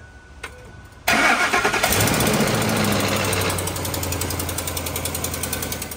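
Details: 2004 Ford F-150 5.4L 3-valve Triton, brand-new remanufactured engine with replaced camshaft phaser, customer reports knocking on startup: V8 fires and settles to idle with a fast, even ticking rattle; startup knock, cause unconfirmed.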